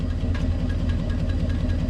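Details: Chevrolet V8 beater truck with 460,000 miles after its fifth engine swap, following repeated passenger-side head gasket failures: steady, loping idle with an even low beat, no lifter tick or misfire; runs smooth, exhaust steam only condensation.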